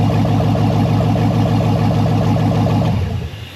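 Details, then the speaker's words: LS-swapped Jeep Cherokee on first start-up: deep, even, lumpy idle with no ticking or knocking, then shutdown; sounds healthy. Alternator not spinning yet. "Sounds healthy."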